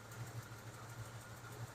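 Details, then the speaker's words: 1996 Ford F150 at idle, mic at the front: fast even tick tracking engine speed, louder than when bought; owner guesses valve train, unconfirmed, after a poor compression test and possible slight smoke. "you can't hear a a ticking now it seems uh if I was guessing I would have to guess under the uh in the valve train"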